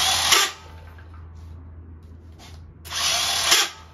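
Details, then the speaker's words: 50cc Kazuma Meerkat quad, starter jumped from a new battery. Two short high-pitched whirring bursts with no cranking beat underneath: the starter spins free and never turns the engine. Owner suspects a bad starter or a lost starter chain, and the motor feels hard, possibly locked. "I'm almost think the way it sounds like it sounds like this is spinning and nothing else spinning which makes me nervous this should spin also"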